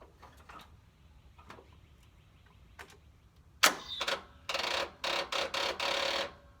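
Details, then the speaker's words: Riding mower tractor with replaced engine, oil and gas checked: a few sharp clicks and buzzing chatter but engine never cranks; battery flat, ignition likely left on. "And of course, freaking battery. Of course. Why not? Why wouldn't it be? I guess I left the ignition on."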